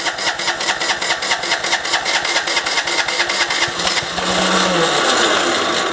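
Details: MTD ride-on mower (deck removed) with a surging engine, after refitting the carb, running without the air cleaner and letting fuel run into it: starter cranks, rough surge, no idle. Cranks but won't start.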